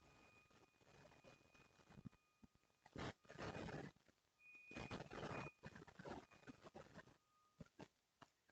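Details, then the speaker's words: Creality Ender 5 Plus 3D printer as the bed moves up: rough, squealing bursts in only one direction of travel, suspected to be a bad linear bearing. Oil won't fix it, and no binding is apparent. "It's only in one direction, so I'm guessing it's got a bad bearing. If I had to be a betting man, I'd say it's got a bad bearing. That is the sound of a bad bearing."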